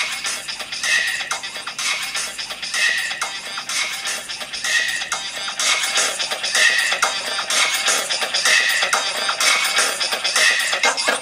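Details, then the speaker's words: Apple MacBook Pro 13 2009 playing music through its original speaker, very poppy, crackling and distorted; blown speaker, suspected overheated after long playback, later replaced. "so it's very very poppy and distorted"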